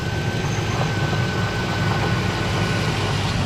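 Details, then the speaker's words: 2005 Chevrolet Silverado 1500 5.3L V8 after water pump work, power steering fluid just topped off on the leaking, empty system: smooth low idle with no squeal or groan; the power steering noise went away. "All right, we just topped off the power steering and that noise went away."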